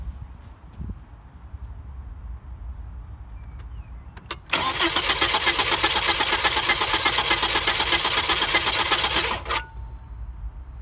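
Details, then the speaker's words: 2000 Volvo V70 2.4 petrol, all spark plugs fitted: steady whirring crank, about four even beats a second for five seconds without starting; every cylinder pushes back equally, healthy compression. "you could hear that the the cranking noise was even it was an even did it wasn't doing like a didn't do"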